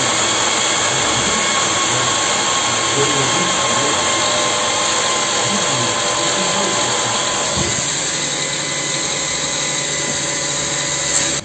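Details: Homemade waste-engine-oil stove made from a 100 L gas cylinder, with a blower air pipe of 57 mm. A steady fan hum with a high whir drops as the air regulator is turned down so the oil isn't blown out; the blower is simply slowing. Body reaches about 420°C.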